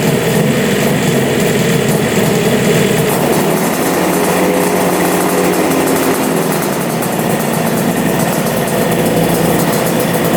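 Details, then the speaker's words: Engine on both carbs: the right carburetor was not drawing fuel at first, and it now runs on both carbs. Steady, even idle with no misses, knocks or hunting, sounding healthy. "yeah running good running on both carbs that sounds so good"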